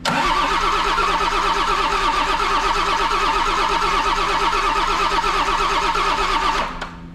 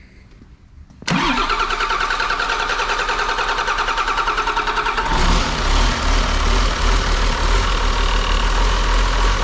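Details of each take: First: Auction-bought non-running John Deere diesel engine, gravity-fed from a funnel after bleeding fuel: steady cranking about three compression pulses a second with no smoke or firing; no fuel delivery, injectors to be cracked to bleed air. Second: Auction-bought John Deere diesel engine of unknown condition, after bleeding air from fuel on gravity feed: brief crank, then fires right up into an even, steady clatter; runs good.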